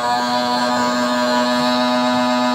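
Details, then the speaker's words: Small plug-in heater just switched on: loud steady buzzing fan hum at fixed pitch, quite noisy but blowing warm; it later shut off unexpectedly; cause of noise unknown. "Quite noisy. It feels warm."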